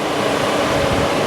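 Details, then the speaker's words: 700 HP supercharged C10 with Holley-controlled twin radiator fans switched by relay from series to individual 12 V on high speed: a steady, even rush of air with no rattle or wobble; the fans run normally. "There we go. Oh, oh yeah. That's some high speed fans. Should have no problem cooling this thing down."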